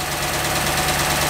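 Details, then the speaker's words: 2006 Dodge Magnum SRT8 Hemi, first start after reassembly, degreaser smoke burning off: steady, smooth idle, no longer vibrating, no ticking; normal idle. "boy it sounds really good it's not vibrating like it used to"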